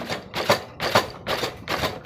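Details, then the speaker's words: 70cc motorcycle front fork shocks knocking over speed breakers: sharp rattling metallic clacks about twice a second as the fork is worked, from inside the fork, before dismantling and repair. "लेकिन यह आवाज़ कर रहे हैं speed breaker में लगती है तो इसमें आवाज़ आती है"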